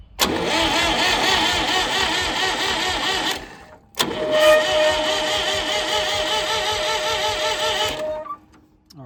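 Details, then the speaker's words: Late-1960s/early-1970s Massey Ferguson 2200 forklift, Perkins 3-cylinder gas engine, sat 23 years, valves checked: brisk, free cranking at about three even compression beats a second, no fire. The seized water pump had just freed, so the starter is no longer dragged down. "I think that was dragging our starter down a lot more than we realized, because it started turning over a lot faster."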